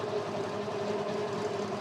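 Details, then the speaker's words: HISUN/Axis Sector 750 UTV electric winch pulling a vehicle in neutral up a hill: the motor labored on the climb, now a steady, quieter, even hum running faster as the pull gets easier; winch under light load. "It's a lot quieter. It was laboring coming up that hill. Now it's going a little faster because it's getting easier to pull."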